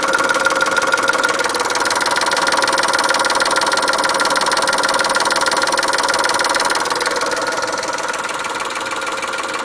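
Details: Chrysler Stratus/Cirrus engine after a timing belt change, noise noted while accelerating: a steady engine with a fast, fairly even ticking of about three per second riding over it; the source is unknown.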